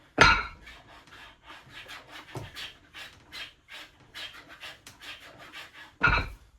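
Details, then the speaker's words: 3D-printed home gym pulley with large bearings and a steel axle, under load: soft plastic scraping between clunks as the wheel rubs the housing sides. Washers are needed as spacers; pulley wheel rubbing on housing. "You can hear the actual pulley or the wheel hitting the sides of the pulley. I definitely need to put little washers in between there so it keeps them farther apart, because the wheel can right now just push up against the side, so you can hear the plastic like skimming against each other."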